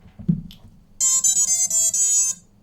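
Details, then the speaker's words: T-Motor ESCs on a 6-inch ArduCopter race quad, first power-up after mounting: short high clear beeping melody through the motors, custom startup tune from unknown (assumed BLHeli) firmware; normal. "I've no idea what ESC firmware that is. It's 30-bit. ESC firmware. Alright, maybe that's a new BL Heli thing."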